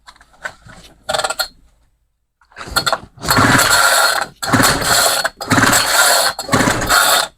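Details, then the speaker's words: Homelite string trimmer that died after about five minutes, new Zama carburetor fitted and priming fuel, choke then off: repeated pull-cord rasps about a second apart with no firing; owner wonders if timing is off; cranks but won't start yet. "That's really weird. Okay, so choke is off now. Is timing off on this thing? Huh. I don't think I'm going to get this thing started."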